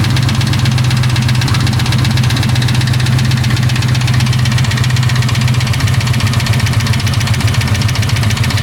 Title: 4.6 2V ticking noise